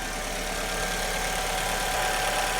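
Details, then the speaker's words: 2002 Alfa Romeo 147 2.0 Twin Spark at idle after replacing an internally intermittent ignition coil, changing coils and plugs one at a time: smooth, steady idle, no stumbles or misfire; misfire fixed. "Okay, there we go. Purring like a kitten. And the culprit was the coil."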